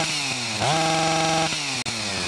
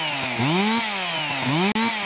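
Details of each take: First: Stihl MS 361 chainsaw, about a year old, warmed up: revs climb then sit flat at same ceiling, won't exceed about 5,000 rpm, even under load; coil has spark but its built-in rev limiter cuts in early. Fix: replace ignition module. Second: Stihl MS 361 chainsaw, about a year old, after replacing the faulty ignition coil whose rev limiter capped it near 5,000 rpm: climbs cleanly to a high scream several times and holds without sagging; normal full revs.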